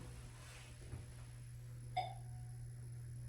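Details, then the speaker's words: 1994 Montgomery Vector hydraulic elevator stopped at second floor: over low hum, electronic chime only gives short high chirps repeatedly instead of chiming; faulty chime. "listen to that listen to that it's like literally chirping and chirping and chirping but as soon as I go down it literally Chimes very loudly"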